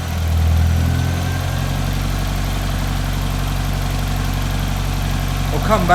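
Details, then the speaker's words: Barn-find Ford RS Cosworth after a new timing belt and water pump, warming up: steady, even low idle with no tapping and no hunting; water pump working well; normal idle. "how much nicer does that sound now you've got no tapping at all and there's no hunting or messing around with it i know water pumps working well"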